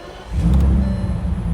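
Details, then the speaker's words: Bentley Continental Supersports W12 at first start after fitting Walmart ignition coils: engine picks up quickly and revs smoothly, no stumble, popping or misfire, no check engine lights; runs clean and healthy. ">> It's good. It's good. No check engine lights. Totally smooth through the revs."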